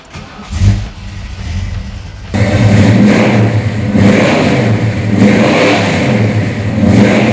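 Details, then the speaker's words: 1970 Ford Torino 429 Cobra, restored, with matching-numbers N-code 429 V8, headers, ceramic-coated Flowmaster dual exhaust and C6 automatic. Cranks and catches, then a deep lumpy burble with clean throttle blips that rise and fall freely; healthy big-block. "You know, the headers with the Flowmaster exhaust, it just sounds spectacular."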